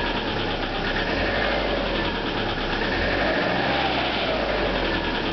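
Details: Subaru EJ25 flat-four in a 1997 Outback idling cold with fast hollow knocking: piston slap.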